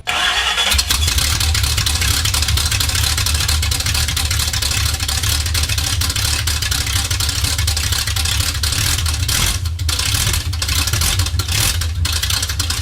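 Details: 1969 Chevy C20 small block V8 on open headers, starting in the shop after bolt-on work: brief cranking, then catches and settles into loud steady rough-edged rumble with a few blips; runs fine.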